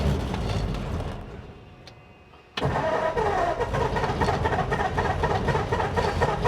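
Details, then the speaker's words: 1947 Ford after 13–14 months stored, carb primed, sediment bowl shows skunky gas: slow uneven starter churning, stops and cranks again, turns over but never fires; crank no start, likely stale fuel. "Might have to do this one more time. Sometimes it doesn't catch right away."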